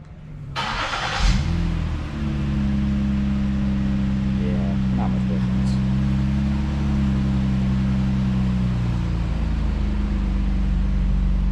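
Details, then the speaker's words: 2013 Ford Flex 3.5L non-EcoBoost V6 after swapping the mid-pipe muffler for a Magnaflow unit, rear mufflers still stock: starts and settles to a steady low drone with a rev blip; exhaust stays muted, little difference; healthy. "Give it a rev. Yeah, not much difference. It looks like these two mufflers in the back really do need to be changed out if you want any kind of decibel or any kind of aggressive change to the exhaust system on these."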